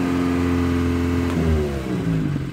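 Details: 1977 Honda Civic CVCC, Hondamatic automatic, 97,803 miles, overhauled engine and carburetor, cold engine warming up on half choke after a full-choke start. Even idle hum that steps up and wavers in pitch partway through. Normal warm-up idle.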